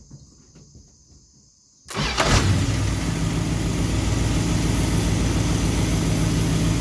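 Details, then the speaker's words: Engine restarted hot after sitting a few minutes, once the distributor's total timing limit was reset, listening for starter kickback. Quick clean start with no kickback or struggle, then a steady even idle; normal hot restart. "smoothly all right seems to be starting pretty good so uh I just going to wrap this one up"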